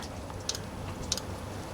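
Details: Diesel heater reassembled after cleaning out carbon clogging from running used HV46 hydraulic oil: fuel pump priming. Faint, soft ticks roughly every 0.6 s over a quiet hum. Normal priming.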